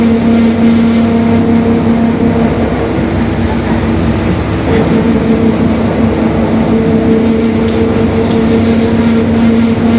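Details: 2021 Marcopolo Torino S bus on Mercedes-Benz OF-1721 BlueTec 5 chassis in urban service; a steady low hum rides over the drive noise at cruising speed. Differential growl.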